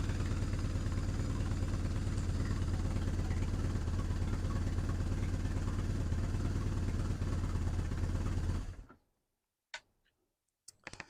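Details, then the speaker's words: BMW R1100R boxer twin after valve clearance adjustment and spark plug replacement, started cold without choke after days unused: smooth, even twin-cylinder beat at steady idle, no misses or ticking, until switched off; normal cold idle. "so as you can hear that's running beautifully for this bike considering it's cold starting without any choke"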